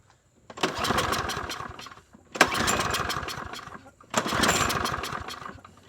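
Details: TroyBilt 21-inch mower with 190cc engine, air filter off while carb spray is used to help it run: catches in three short bursts, each dying after about a second and a half; it runs rough and stalls, cause unconfirmed.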